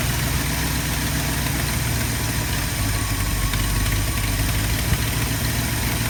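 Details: 1972 Ford F250 with 360 V8 and four-barrel carburetor, after a Pertronix Flame Thrower II distributor, coil, cables and plugs install and idle mixture screw adjustment: steady, even, smooth low idle rumble with no misses, knocks or ticks; normal idle.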